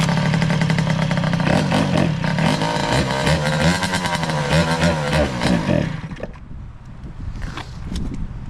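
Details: 2003 Kawasaki KX60 two-stroke on 40:1 premix, just revived, choke off; revs raggedly, pitch wobbling and stumbling, then dies after about six seconds. It bogs and stalls without choke.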